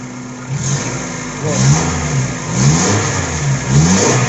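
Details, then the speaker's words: Suzuki APV, G16AD engine, after fixing catalytic converter/muffler noise: revved three times, exhaust rises and falls cleanly with no rattle or clank under the catalytic converter anymore; okay now. "Wala nang ingay. Wala nang kumakalampak sa ilalim ng catalytic niya ulit. Okay na yan."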